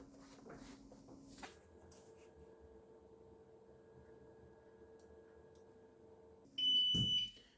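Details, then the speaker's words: APC Back-UPS Pro 550 on battery power, after a battery replacement, in a runtime test: a steady low hum, then a loud shrill beep as it warns of low battery. "And you can hear the beep. It sounds to notify you you've got a low battery."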